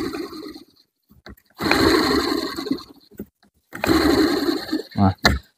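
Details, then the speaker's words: Radiator cooling fan removed from the car, spun by hand: gritty, rasping whirr fading as it slows, the fan shaft wobbles side to side; likely a worn fan motor bearing, also heard as a scratching noise with the AC on. "tapi kalau didengarkan dengan seksama ya di sini ya di sini suaranya agak kasar nah ini suaranya agak kasar ya teman-teman"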